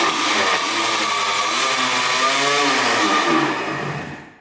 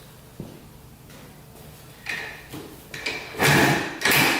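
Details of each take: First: 1984 Yamaha IT200 two-stroke dirt bike: buzzy revs about four seconds on gas poured into the carb, then sags and dies; carb not feeding fuel, needle believed stuck; fuel starvation. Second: 1984 Yamaha IT200 two-stroke dirt bike after fixing no fuel flow to the carburetor (carb leaking slightly, air leak suspected): kick-like bursts about twice a second, then catches into a steady, even idle; normal start and idle.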